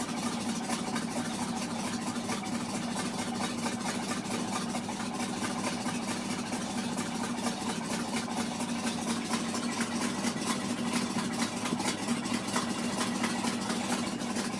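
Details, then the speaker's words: Ford F-600 carbureted engine idling cold after welding repair on the exhaust pipe: steady idle with a faint puffing tick on each firing pulse where a small leak remains at the patch; exhaust leak. "here a little bit of a leak from it right there nothing bad"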